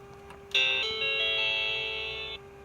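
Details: Macintosh SE/30 being recapped, startup after earlier bad sounds (suspected solder joint): one clean sustained chime about two seconds at power-on, then quiet hum; regular healthy startup sound.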